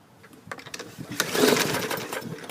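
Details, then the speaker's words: Bolens push mower, non-runner whose gas tank was chewed by rodents, pulled with starting fluid: quick uneven recoil rattles with no combustion pops. It cranks but won't start; the owner smells fluid in the exhaust, fears it may be dead, and suspects the safety brake cable. "uh oh i can smell the starting fluid through the exhaust but we don't have any action this may be dead"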